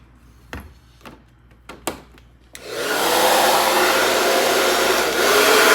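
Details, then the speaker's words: Taiff hair dryer, previously noisy, seizing and smelling burnt, after repair with the bearing (mancal) replaced: a few switch clicks, then a smooth steady airy rush with no rattle or grinding; normal operation. "amigos ficou perfeito tá o funcionamento é excelente tá"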